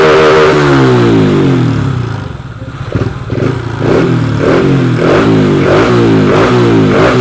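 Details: Honda Wave 125i on E20 fuel with PCX150 injector fitted, being fixed for rich-fuel stumble when throttled; repeated throttle blips rise and fall crisply with clean pickup, no stumble or hesitation.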